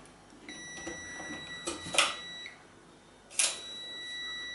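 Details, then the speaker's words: ARC stick welder mains on/off double-pole switch, multimeter continuity test on the neutral side: a clean steady beep each time the switch is on and silence when off, with a very low ohms reading, so the switch contacts are good. "so i'm on the neutral side now on off really low overreading so you know it's good"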